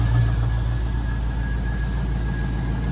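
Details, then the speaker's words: 1965 Ford F100 on a Crown Vic frame with a 5.3 LS swap, first start after fuel system work, fuel pump audible: steady low V8 idle rumble with faint high whine; normal running. "that's it it's running"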